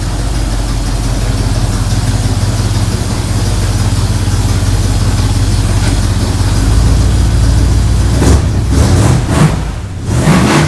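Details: Ford Bronco V8 after motor rebuild, first run, recorded from across the shop; deep steady rumble with even beat, no knocks or misses. Normal idle; carb noted running a touch rich.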